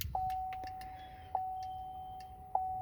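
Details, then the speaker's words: Duramax diesel after fuel filter canister change, key on, hood open: quiet, steady mid-pitched lift pump hum with a soft tick about every second; pump priming itself normally. "You'll hear the fuel pump running. I can running. It's actually priming itself."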